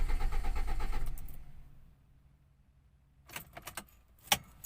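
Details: Soluna cranking with no start: about a second of steady starter churning with no firing, then key rattle; no power reaching the spark plugs, traced to a failed EFI relay.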